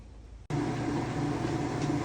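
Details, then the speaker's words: Whirlpool-type top-load washer in spin after new parts were fitted to the underside transmission to cure a rubbing noise: spin starts abruptly into a steady, even whir with a low hum, no rubbing or scraping; noise fixed. "amigos ya está listo ya quedó ya se le quitó el ruido"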